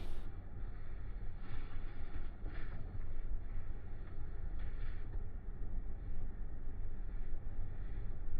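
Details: Mahindra Bolero Neo N10 left/conductor-side door that rattled on rough roads, test drive with the suspected part held in hand; only steady low road rumble in the cabin, no buzzing or rattling from the door panel.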